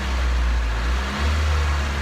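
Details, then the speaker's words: Nissan S15 after GKTech eccentric throttle wheel install: low idle rumble sags then surges back about a second later, hunting idle; throttle cable adjustment likely needs raising idle, owner suspects a past issue with the car, not confirmed. "It's the, you can see the little throttle cable here. This is what will change your idle. So that possibly needs to come up a little bit."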